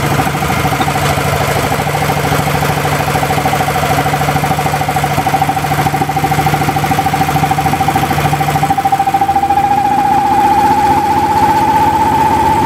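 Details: Small engine converted to LPG/natural gas with new NGK spark plug and zero-pressure regulator, cold started, loaded by a grid-tie inverter: even, steady drone with no misses, faint rising whine behind; normal running under load before reaching temperature.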